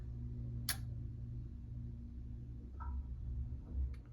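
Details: AC with no cooling and a blown low-voltage fuse, a resettable breaker fitted in the fuse spot: a few dry isolated ticks over a low hum as it trips. A dead short on the Y cooling wire, traced to a shorted contactor.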